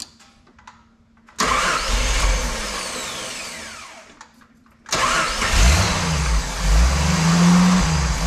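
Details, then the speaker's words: 1988 Jeep Wrangler YJ Sahara 4.2 inline-six with carburetor: with base timing at 11° (spec 9°) and after moving distributor vacuum hose to ported vacuum, engine catches and revs cleanly with better throttle response, then sags toward stalling with no steady idle. "well it's got better throttle response but it still doesn't want to idle at all"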